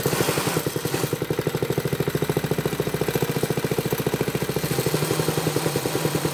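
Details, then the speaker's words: Briggs & Stratton single-cylinder vintage minibike, first run after revival with a little choke, low compression: putters at low speed with a rapid uneven chatter about three beats a second; clutch engaging too early, suspected missing or worn springs. "heard that the clutch is engaging itself way too early and chattering so I'm going to pull this off and see what's going on might be missing a spring or the Springs are wore out and it's engaging at too low of an RPM"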